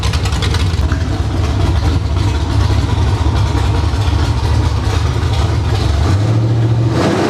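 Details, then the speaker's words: Summit Racing 1107-cammed 305 small-block Chevy on test stand, first fire-up and cam break-in, idle tuned to about 750–800 rpm, headers; loud lumpy choppy rumble that climbs briefly near the end when blipped; normal idle and revving. "I got the tuning done on it. Got it where I like it. Got it idle down to around 800 or 750, 800 RPM. Doesn't sound too awful bad."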